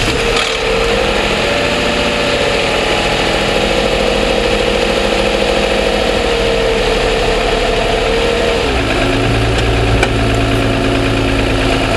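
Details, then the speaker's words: 2007 Toyota Sienna at cold-start idle, mic apparently in the engine compartment: busy, fast metallic ticking over the engine note; the dealer suspected piston slap and deemed it normal, cause unconfirmed. "complaining that you know on cold start I'm having problems with the engine making a ticking noise"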